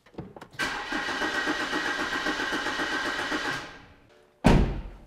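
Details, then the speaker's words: BMW E92 320i with freshly rebuilt engine, no alternator fitted; about three seconds of brisk, even starter cranking with steady compression pulses; turns over nicely but fails to start. "I mean at least it turns over nicely"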